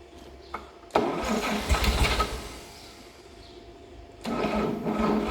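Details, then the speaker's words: 1954 Chevrolet 261 inline-six, out of the vehicle and stored about 40 years in a dry shed, first start: short crank, fires, runs rough a few seconds, dies and catches again; sounds pretty good for an initial fire, normal first start. "but other than that it sounds pretty good just on its initial um fire over so we'll do a little bit more work on it but wow 40 Years of sitting and it's here ready to go"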